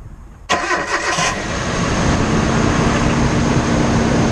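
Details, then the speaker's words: On a cold winter morning at first startup, the engine catches and settles into a fast idle with a light, quick rapping that soon goes away. Owner believes it is piston slap, skirts rocking against cylinder walls, but this is unconfirmed without teardown. "so piston slap happens when your piston actually starts to rock inside the cylinder wore like this and the skirts of the piston will actually slap the walls of the cylinder usually happens on colder morning's or upon initial startup when the engine is cold"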